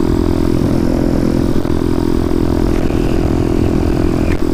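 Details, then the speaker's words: Motorcycle with 34mm carburetor, adjusted out a full turn from start, cruising steady at 42 mph: even drone with no pops, misses or stumbles; carburetion now smooth after tuning. "i'm doing 42 and it hasn't popped yet couldn't be any smoother actually right now this is perfect so maybe i'm going in the right direction find out soon"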